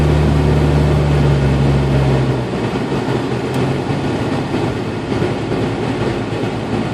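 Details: 1992 Jeep Cherokee with A/C on: a low, steady buzzing whine over the engine comes and goes, mostly at low rpm or after a quick rpm drop. It stops when the A/C is cycled, then returns minutes later. The cause is an overcharged A/C system letting liquid refrigerant into the compressor.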